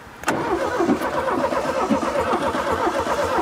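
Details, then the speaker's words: 1971/72 VW Super Beetle first start after 30+ years sitting: engine catches into uneven, lumpy run with sharp exhaust pops; muffler suspected, not confirmed. "sounds like there's something up in that muffler kind of stuff yeah that tail popped there oh good very tail pops about"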